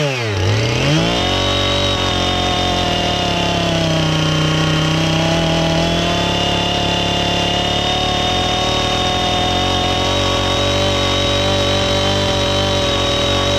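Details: Husqvarna 450 X-Torq chainsaw that wouldn't run, new chain and bar fitted, started to check and adjust the carb (special adjusting tool bought): quick rev-up to a high, even buzz holding steady without bogging or surging; healthy chainsaw running.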